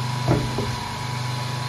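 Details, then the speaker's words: 1.7 kW three-phase asynchronous motor run as generator (star-connected) by a 0.37 kW 2860 rpm motor, no capacitors, giving three-phase 220 V: steady even hum, faint high whine, no knocks; normal running. "То есть, в принципе, вот всё работает. Получается трёхфазное напряжение 220 В. Вот всё работает."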